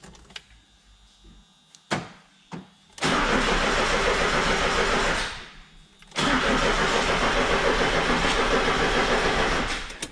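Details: Towed-in Gazel Next that will not start, before repair: starter clicks, then two long cranking bursts with an even churn near 3.5 per second and no catch. A long wire had touched the intake manifold; the sensor was later replaced.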